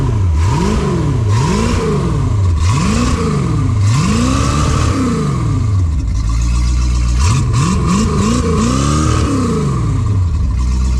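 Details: Phoenix 29 boat engine, first start after a rebuild: rotor pump, manifolds, risers and thermostat housing replaced, new fittings and hoses, switched from an electric back to a mechanical fuel pump, water on: it catches and revs smoothly up and down with no clatter; normal running.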